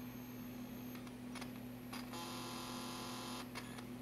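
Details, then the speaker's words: Macintosh TV logic board at first power-up after a recap and resolder: quiet, steady mains-like buzz with a few faint ticks from the speaker and no real sound; suspected ground issue or open input on the audio op amp. "hear that noise that is like a ground that's weird shouldn't do that I'll have to investigate that one"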